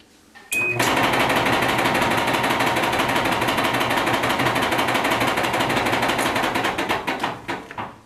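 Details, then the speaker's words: Duet dryer running with a loud complaint of rumbling: rapid rhythmic rumbling and clattering from the drum, caused by worn rear drum rollers. Lint buildup inside was also noted. "We're out to take a look at this one because it's making one hellacious, strange noise."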